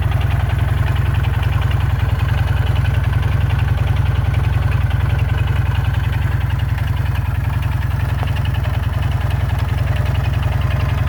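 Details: Jawa 350 two-stroke at idle: deep, steady knock locked to engine speed, roughly three to four a second, worsening daily; owner suspects crankshaft and/or connecting rod (bottom end) problem, booked for repair.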